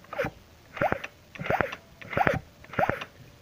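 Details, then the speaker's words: Yamaha F1ZR 110 two-stroke, weak pulling uphill, spark plug removed, flywheel magneto turned forward by hand: breathy suction hiss about every two-thirds of a second at magneto side; leaking crankshaft seal losing compression, needs replacing. "kini di sini ada bunyi isapan itu artinya Hai Sil kruk as-nya sudah rusak atau terjadi kebocoran pada Sil kruk as di sini"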